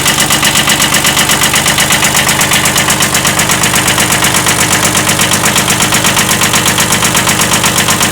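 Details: 1979 Kubota B7100 tractor with a D950 engine swapped in for the D750, at steady idle: a sharp, regular knock about twice a second over the diesel clatter, a slight rod knock pointing to a worn rod bearing.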